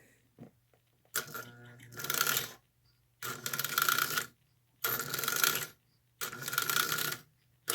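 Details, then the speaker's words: Marx 999 toy locomotive, first test-track run before restoration, brushes suspected dirty: short bursts of bright electric whir with rattly track noise, pulling smoothly; good motor, reversing unit cycles clean without sticking, normal running. "Not bad. Yeah, that's not bad at all. Okay, so we know we got a good motor at least to start with."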